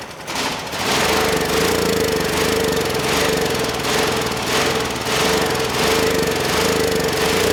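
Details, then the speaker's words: Generac GP6500E generator whose engine had been seizing partway round, now running under load and making power: a steady drone with a mild, slow pulse. It sounds healthy, with a compression recheck pending. "I was ready to tear into this engine, and not only is it running, but it sounds good and we're making power."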